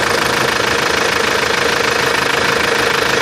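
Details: Antara engine: fast, regular metallic tapping, about three per second, over the idle with no road noise; abnormal engine knocking of unknown origin.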